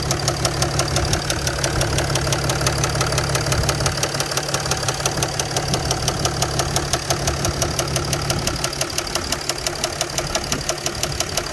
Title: Mercedes ML350 Bluetec Diesel engine knock noise